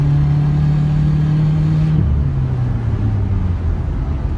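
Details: Stock 2017 Subaru WRX turbo pulling hard at high rpm and high boost with a low drone, then a rough metallic buzzing rattle as revs drop. A missing or snapped nut on the exhaust manifold is causing the exhaust and boost leak, the second time this has happened.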